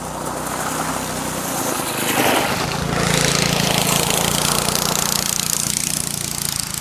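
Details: Go-kart small single-cylinder engine with centrifugal clutch, after fixing a stuck clutch by lubricating, degreasing the clutch faces and sanding/deglazing the drum: revs up and settles into an even buzzing run, no slipping or grinding; normal running.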